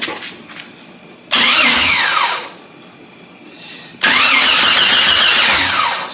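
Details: Jeep Cherokee XJ with cooling leak: two long even cranking bursts, engine never fires; no crank-sensor signal and a faulty ignition switch suspected, eventually traced to a corroded fuse. Crank no start.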